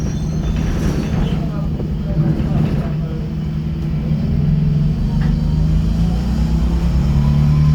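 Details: Optare Solo bus on route 309, recorded on board: heavy, loud low diesel drone rising slightly under load with interior rumble; reported loud engine and squeaky noise, though no clear squeak stands out.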